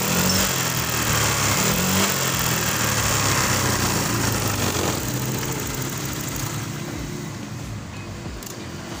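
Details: Honda Vario 125 (KZR) scooter, rebuilt after hard starting and no idle, on the test start: the single-cylinder engine settles into a steady, even putter at idle, no misses or knocking; it runs healthy now.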